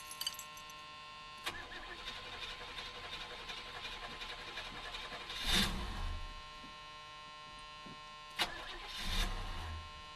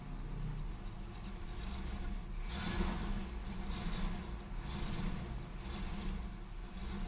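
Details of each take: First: Oldsmobile 403 V8 in a G-body, after the carburetor was cleaned of carbon, fixing a no-idle, four-cylinder-sounding miss: cold start catches and idles with a few brief stumbles, then runs evenly enough for a cold engine. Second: Oldsmobile 403 V8 in a G-body that won't idle and sounds like it's running on 4 cylinders, though it revs okay above 1,000 rpm; carbon canister/tank vent left disconnected. Sounds somewhat better but still really rough, with a lumpy, stumbling rumble; cause not yet found.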